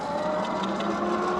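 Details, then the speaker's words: Tuttio Soleil 01 electric pit bike while coasting: a steady mid-pitched whine with a fainter higher tone from the drivetrain. It goes away with slight throttle and returns off throttle. The rider thinks it may just need breaking in. "first thing I notied is the drive Train's a little bit noisy as you hear the noise goes away when I throttle it just a hair but when I let go it's a little bit noisy so I'm not sure what that's about"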